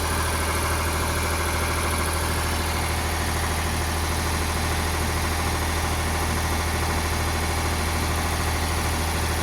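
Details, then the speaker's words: Ford 4600 tractor (1000 series) diesel just started after fitting a service-exchange injection pump: steady, even clatter at a fast tick-over of about 1300 rpm instead of about 800, won't idle lower; a stray wire is holding the throttle linkage open. "Now, it looks like I'm going to have to make some adjustment on it because that is as low as the revs will go. About 1300 it's revving at. Well, we should be near a tick over, it should be about 800."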